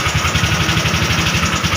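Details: Honda Wave 125R that sat for 3 years with a no-start and low compression, after repair: an even, steady single-cylinder putter at idle with no misses or knocks. It idles normally.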